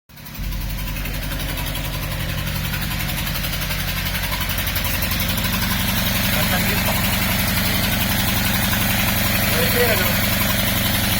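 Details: SAAB petrol engine idling rough with an uneven, lumpy, cammed-sounding beat; it started after leaving the freeway, when the car felt like it lost power.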